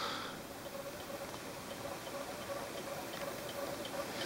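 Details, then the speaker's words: PMH generator and pulse motor rig, coils fully disconnected, rotor spinning and slowing down: light, uneven tick about three per second over faint hiss, a rub each turn; more friction than on the first run after much handling of the rotor. "cuz uh I've been messing with this uh rotor quite a lot and as you can you hear there's more more friction now than in my first run"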